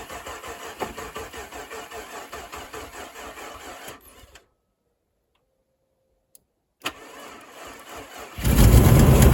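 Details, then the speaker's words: Chevy Colorado after sitting all winter; it previously backfired and wouldn't fire. Fuel gauge broken, so it may be out of gas; gas added; weak battery at 11.9 V. Steady rapid cranking, about four turns a second, swells but never catches. "Last time I tried to start this thing, it let out one hellacious backfire, and it wouldn't start. It would crank, but it wouldn't fire."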